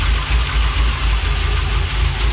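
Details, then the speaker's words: Freshly rebuilt LS1 V8 with very choppy Crow cam in a 1978 C3 Corvette swap, idling after first start: deep loping idle with steady choppy rhythm and even low rumble; normal big-cam idle. "Check it out! And it's idling! Oh man. You hear that chop? That's unreal!"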